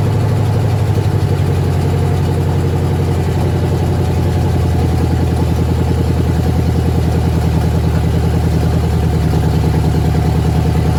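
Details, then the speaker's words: 1996 engine-swapped squarebody truck on its first startup, run only briefly with no coolant: steady, even idle with a smooth low rumble and no knocks, misses or ticks, sounding healthy. "We don't got any coolant in, so we can't run it real long, but just enough to make me feel happy that it runs."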